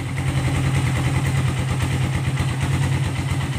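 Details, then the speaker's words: Suzuki Satria FU 150 carburetor motorcycle after a carburetor service for fuel flooding and setting the idle: even, steady single-cylinder idle with no misses, stumbles or knocks; bike back to normal. "motor sudah normal selesai ya mau terus sudah normal selesai"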